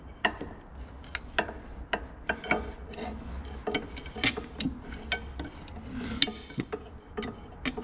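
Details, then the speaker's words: IHC 733 tractor ZF front axle, stub shaft rotated by hand: sharp irregular clicks and knocks; owner suspects the cross (universal) joint is broken, likely a worn joint with excessive play. "weil wenn ich hier vorne am am Stummel drehe dann ist halt knacken wahrscheinlich weil das kossgelenk kaputt ist"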